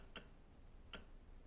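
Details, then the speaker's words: 2006 Honda Big Ruckus after fuel filter change, key on, engine off: two soft, sharp clicks under a second apart, normal fuel pump priming. "that's your clicking noise is your fuel and everything moving"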